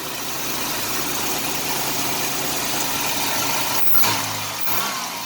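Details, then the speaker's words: 1989 Chevrolet Celebrity 2.8 V6, 3-speed automatic, 173,000 miles, crankcase vacuum leak capped off (owner suspects lower intake gaskets): idles steadily then revs up cleanly with no stumble, popping or misfire. "Revs up just fine. It's only got 173,000 miles on it."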